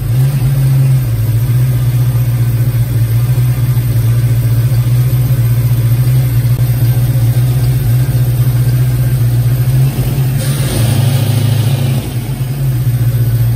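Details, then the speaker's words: Cold 1990 Mustang GT V8 with a high-idle and high-rpm breakup problem, owner suspecting a messy engine harness: holds a steady fast idle that won't settle; possibly just open loop when cold, problem not replicated. "it revs up a lot higher than that it might be an open loop though because the car is cold"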